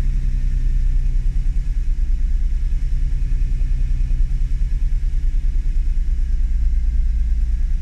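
Deep, low idle that keeps dipping and surging unevenly instead of holding a smooth beat; an unstable idle with the cause still unknown.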